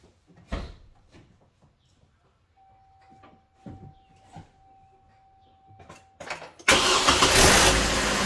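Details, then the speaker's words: 2009 Hummer H3T, 3.7-litre I5, at start-up just after a new Gates serpentine belt, tensioner and idler pulley were fitted: clicks, then the engine catches and runs evenly, with the belt drive quiet, no squeal or chirp, clearly better than before. "So that's definitely way better."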